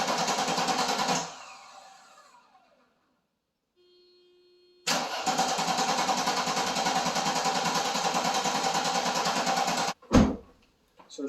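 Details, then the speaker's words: Mercedes with Bosch electronic distributor ignition, unstarted for 13 years, after freeing a seized belt pulley: starter spins the engine with an even, strong compression rhythm but it never fires; crank no start, spark to be checked. "sounds like she wants to run like she's got compression, but we have to figure out why what where our issue is here."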